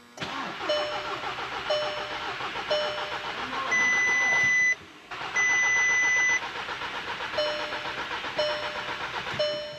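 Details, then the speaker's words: MK6 Volkswagen GTI after turbo replacement and turbo priming: dash chimes, cranks, catches and settles into steady idle with no internal wastegate rattle; healthy start. "All right, fingers crossed. No rattle. Let's go."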